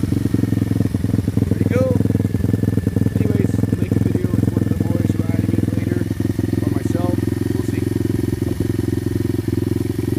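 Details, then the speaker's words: Tao Tao 140cc Chinese single-cylinder kickstart dirt bike during break-in, engine already warmed up: strong, regular beat at about three pulses a second holding steady, no knocks or rattles. Normal engine running. "Here, I'll give you a sample on what it actually sounds like. It's got a pretty mean sound to it."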